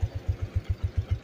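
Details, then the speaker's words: Suzuki Shogun SP (125) motorcycle, nearly 18–20 years old, idling after tune-up, oil change and service, with failed regulator/rectifier and CDI replaced. Soft, characteristic deep bass exhaust thumps about five per second, steady and unbroken: smooth healthy idle. "Nah suaranya lembut basnya khas banget sogun ya sogun SP"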